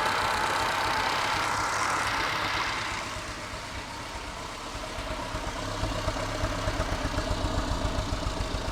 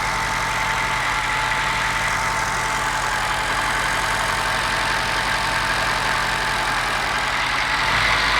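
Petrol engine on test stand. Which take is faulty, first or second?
second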